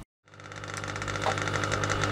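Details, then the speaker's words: Old aquarium fish-room air pump feeding an airline manifold: loud, constant electric buzz with a fast rattling flutter on top; noisy pump being replaced with a new one. "here's the offender as you can hear pretty noisy"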